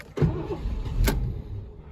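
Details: 1986 Mercury Capri 5.0, last registered 2003, fuel pump heard but very quiet: short burst of starter cranking with low chug that never catches; cranks but won't fire; owner considers the cam position sensor, untested.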